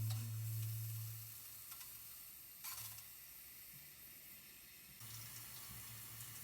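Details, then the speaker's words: Fluidmaster toilet fill valve still running after its seal was cleaned: a steady hiss of water that never shuts off, with a low hum underneath, and water coming down; the seal is likely still leaking. "okay it is still running and that is not what I wanted at all you see it kind of coming down here"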